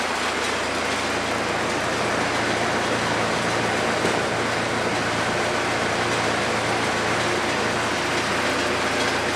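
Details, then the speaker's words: Cummins 4BT four-cylinder diesel in a 1968 Bronco, first start in a long time after topping off oil, water and fuel; earlier rough running (owner hoped air in fuel system, bled lines), now loud, steady, even diesel clatter, no misses; normal idle. "Oh boy, she's noisy. She is noisy. All right, we'll let it sit for a little bit."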